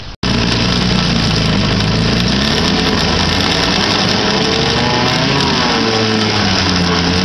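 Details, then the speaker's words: 1959 Kiekhaefer Mercury Mark 6A two-cylinder two-stroke outboard, unserviced for 23+ years and unstarted for about three years, running on three-year-old gas. A busy, rattly buzz settles into a steady run with no cutting out or hunting; it fired right up and runs fine. "nice very nice little smokey huh I'd call that a success even with three-year-old gasps"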